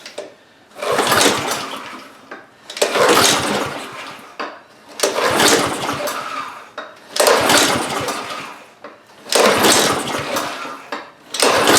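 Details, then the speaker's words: Engine catches in short bursts about every two seconds, then dies each time: cold Honda GCV190 on a Husqvarna HU800AWD mower, choke closed, with new spark plug and spark confirmed; owner suspects the carburetor. "so it did start didn't stay running that's very interesting so uh uh we're making progress why did it not stay running"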